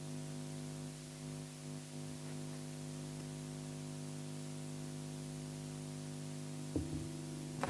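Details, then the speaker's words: Acoustic guitar into an Ashley Premium 4 mixer recording to a phone: a steady, low mains buzz of stacked tones under a constant hiss, a ground loop hum that disappears when the jack is touched or grounded with a wrapped wire. "suara seperti ini ketika gitar Kita sudah bunyi dia akan dengung desis seperti ini"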